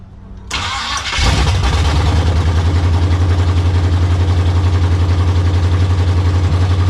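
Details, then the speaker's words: Monte Carlo, slightly warm, after swapping carburetor and distributor from a parts car to fix a long-crank start problem: brief crank, catches within about a second and settles into a steady idle; now starts on key turn, carburetor not yet tuned. "well that made a huge difference now we're cranking on key turn instead of you know for 12 hours so it's coming together"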